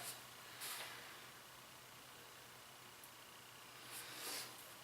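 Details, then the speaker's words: Mityvac fluid evacuator changing oil on a Cabela's Outdoorsman 3800/4750-watt generator, smaller tube picking up remnants: soft airy hissing slurps in short bursts as the tube reaches the sump bottom and draws air. "And you hear it start sucking the bottom. And I have tested this out. I have taken drain plugs off even after I've done this."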